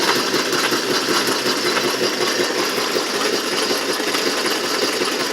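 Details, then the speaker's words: Can crusher machine after screw-on bracing of its frame to stop wobble; steady even mechanical whir with a light irregular rattle and no knocking or banging; runs smoothly without wobble, though the 14-inch pulley still wobbles. "no wobble."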